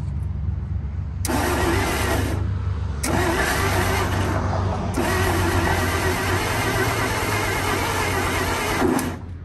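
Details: 1947/1949 International 1-ton flatbed truck, sat about 50–53 years, on used plug wires, fed gas and starting fluid: three rough bursts as it catches, surges and falls away without idling.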